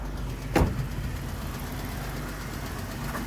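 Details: Jeep Wrangler 3.6 V6 manual idling after repairing cylinders 1 and 3 misfire (dead/weak injectors, bad spark plugs replaced): steady even rumble, no misses; slight ticking, likely a rocker arm.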